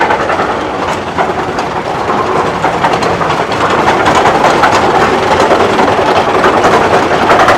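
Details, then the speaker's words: Snowdon Mountain Railway rack train approaching on gradients up to 1 in 5.5: a steady rattling clatter of about three knocks a second that swells as the locomotive's central cog engages the toothed rack; normal running. "now as this one approaches you can distinctly hear the cog rattling against the rack"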